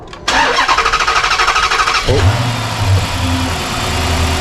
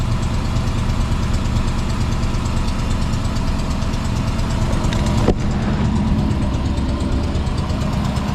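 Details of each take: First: Dodge Magnum V8 with original exhaust manifolds refitted in place of JBA headers whose wrong port shape caused an exhaust leak: brief crank, then steady, even idle with no ticking, no exhaust leak. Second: Magnum with 5.7 V8 and JBA CARB-legal headers at idle: quick, uneven ticking over the low rumble persists after refitting, an exhaust leak at the header flange from wrongly shaped header ports.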